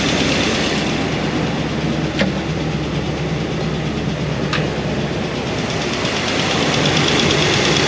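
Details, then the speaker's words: New Comp Cams hydraulic roller cam and lifters after break-in, idling: light ticking about three per second over steady idle; number 7 exhaust lifter noisy, low oil flow, won't adjust out. "It's a comp cam. Comp hydraulic roller. And they're making noise. They won't adjust out."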